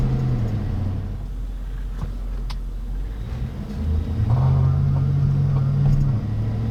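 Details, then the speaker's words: GM Yukon (99–06 fullsize platform) during low-speed accelerations: low pulsing grumble under road noise, rising as truck picks up, no indicators yet; worn front hub bearing also causing intermittent TCS errors. "okay right away did you guys hear that weird low pulsing noise no indicators tripped or anything but you heard the immediate sort of low grumbling that was the first symptom I started experiencing before anything else happened"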